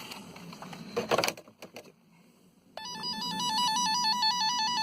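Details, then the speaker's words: Chrysler Grand Voyager (disabled-passenger conversion) with fuel sender fault: wire tracer gadget sends a signal up the blue/white fuel sender wire; steady warbling two-pitch tone shows the wire is intact to this point, and a damaged section under the seat conduit is suspected. "So it sends, this little gadget sends a signal up there, so when I press that, you can hear that annoying noise."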